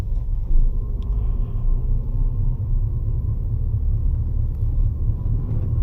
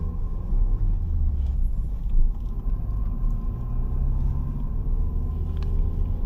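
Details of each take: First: 10-year-old 2014 Ford Fiesta Ambiente 1.4 Duratec cruising on worn old tyres before switching to Radar Dimax Sprint; steady low roar under the cabin, no tick or knock. Tyre road noise roar; balancing was initially suspected. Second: 2014 Ford Fiesta Ambiente 1.4 Duratec on the first drive with new Radar Dimax Sprint 195/50 R15 tyres: a smooth, low, steady road rumble without the woo-woo noise the old tyres made; the tyres run quietly.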